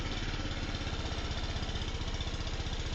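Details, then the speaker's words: Scooter idling after timing set and valves adjusted: steady, even putter with a clean regular firing beat and no ticking or knocking on top; sounds like it did when new. "Sounds like it did when it was new."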